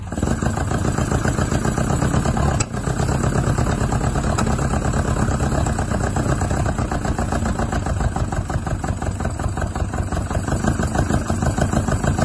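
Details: Isuzu Bellett GT-R restarted after storage with air filters off and the throttle stop screw not working; runs rough with an uneven, lumpy beat and a brief stumble. Owner suspects poor carburettor jets and plans to strip the carbs.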